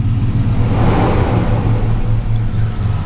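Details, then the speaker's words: OBS Ford truck after replacing the throttle position sensor: engine catches and settles into a steady run with clean rev, no stumble; earlier startup flutter is gone. "it's on see if it does the little flutter it actually doesn't do the flutter no more"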